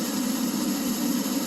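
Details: Oil furnace in an unheated garage, 31°F outside: steady motor and fan whir, no flame roar, nothing seen through the flap; burner not igniting, owner suspects plugged nozzle.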